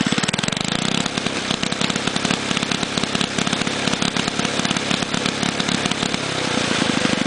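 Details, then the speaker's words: Child's go-kart small engine: starts fine and winds up okay on the governor, but opened up by the throttle it revs with a ragged uneven beat, stuttering and misfiring badly. "It starts stuttering and missing real bad when you open it up, grabbing the throttle."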